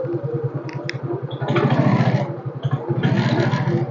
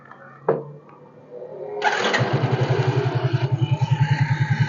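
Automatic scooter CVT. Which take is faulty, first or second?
first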